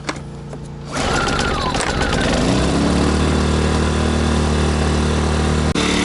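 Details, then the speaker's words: Sportsman GEN1000i inverter generator, brand new, first-ever start on choke with fresh oil: catches after a second of cranking and settles to steady buzzy even run like a small trimmer, no knocks or misses; normal. "Definitely sounds like a little weed eater. We'll go ahead and let this run just a little bit so it can equalize itself."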